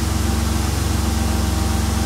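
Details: 2002 Mercury Cougar 2.5 L, electronic returnless fuel system, running during pump tests: smooth, steady low idle with an even pulse and no stumble or hunting; normal idle.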